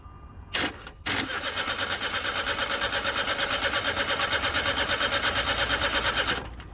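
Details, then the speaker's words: Starter crossed directly with key in ignition and no fuel pump heard: after a couple of clicks the engine spins evenly for five seconds without firing; since it would have started if wiring were at fault, diagnosed as an immobilizer issue. "right it's a key issue because if it was just a wiring issue that should have started so it's an immobilizer issue"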